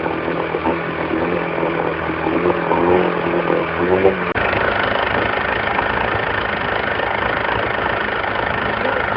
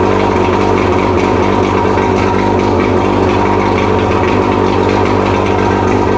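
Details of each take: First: Mercury 115 two-stroke outboard before rebuild, exhaust in a bucket of water, getting noisier as it warmed: rough, clattery idle with a loose rapping knock from a scored, heavily worn piston with huge wall clearance; piston slap. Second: Mercury 115 outboard after rebuild fixing a hammering idle knock from a severely worn piston, on mixed gas test fire: steady even idle, smooth low drone, no knock or tapping; normal idle.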